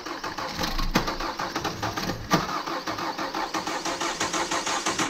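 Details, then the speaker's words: Kia Soul, security supposedly fixed by dealer, cranking: starter churns at about three pulses a second but engine never catches, key light on; crank no start, possibly a sensor. "it's trying there's a key light still on it's off now well that was close yeah it could just be something as simple as a sensor"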